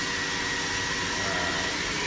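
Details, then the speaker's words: 2015 Doosan DNM 750 vertical machining center (Fanuc i-Series control, about 500 cutting hours, excellent condition), spindle running before being cranked up to about 3,000 rpm: steady high-speed hiss with a faint constant whine, no knocks, grinding or surges. Healthy. "Right now we are currently running the spindle."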